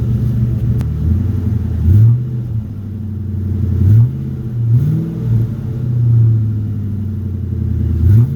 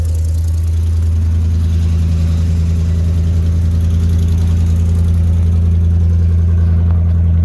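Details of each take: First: 2009 Ford F350 after fitting a new Flowmaster muffler: deep smooth note swelling and dropping with several throttle blips, no rasp, drone or rattle; quieted down a lot from before. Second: 2009 Ford F350 with the 5.4 V8 at idle on start-up, muffler missing before exhaust replacement: deep, loud, steady low rumble with an open, booming exhaust drone.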